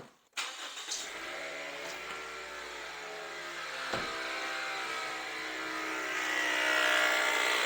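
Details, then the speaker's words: 2020–2022 Toyota Voxy 3R 2.0 engine, microphone held close: engine fires up into a loud, fast metallic chatter over the idle, traced by stethoscope to the alternator's overrunning pulley. "qual que era o problema desse carro aqui que a gente pegando estetoscópio e vendo da onde estava vindo o barulho vem do alternador tá"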